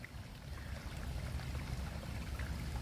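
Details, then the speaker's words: Sump pump discharge line for a foundation drain, pushing water uphill and purging air during rainy season: steady splashing pour with constant flow and no surging or sputtering; outlet emptying normally. "it's pushing all the air out of the line as it pushes the water uphill it's removing the air from the line so you can see how much water this thing cycles"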